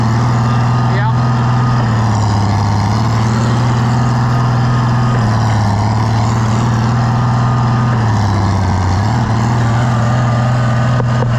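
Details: Oliver 1650 tractor after a governor repair and adjustment, with old governor pieces possibly left in the oil pan: the low engine note dips and recovers promptly as load comes and goes, holding speed steady. The governor responds right away.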